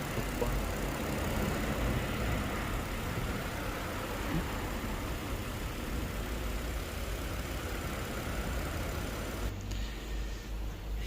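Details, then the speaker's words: Kia K7 3.0 LPI V6, first cold start in the morning, check-engine light flashing: idle stumbles and shakes about two to three beats a second; misfire on cylinders 5 and 6, worst on 6, which had the lowest compression; intake control valve suspected. "그리고 지금 부조하는게 5번 6번이지 5번 6번이 부조를 하고 제일 많이 부조하는 건 6번이 부조를 하긴 하는데"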